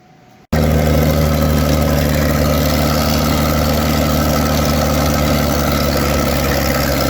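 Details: Farmall 560 tractor being reassembled, run with a 5-inch straight pipe: it starts with a bang, then settles into a deep, loud, steady, throaty idle, raw but even, sounding like a pulling tractor; it runs healthy.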